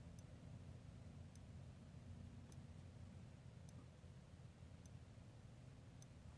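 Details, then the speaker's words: Electric fence rewired with the bottom wire grounded and the middle and top wires live: faint sharp ticks about every 1.2 seconds over a low hum outdoors. The clicking comes from the little switch at the fence box. Clicking from the fence switch, cause unclear. "that little clicking sound? That's coming from the box right there. But, not the box, the little switch, you know?"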